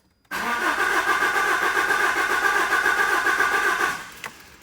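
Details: Alfa Romeo 159 no-start: starter cranks the engine at an even chug for nearly four seconds but it never catches or fires; crank, no start.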